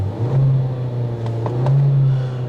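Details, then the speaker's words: 2016 Kia Optima LX Turbo with a 1.6 L turbocharged direct-injection four and 7-speed dual-clutch, just after push-button start. A low, steady idle with a few light blips and no knocks or rattles. "you're hearing an allnew powertrain option for 2016 this is the 1.6 L turbocharged uh direct induction engine with a 7-speed dual clutch"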